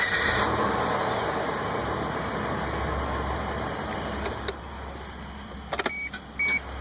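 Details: Suzuki XL-7 that won't start: starter churns steadily at about four beats a second, engine never catches or fires; crank, no start.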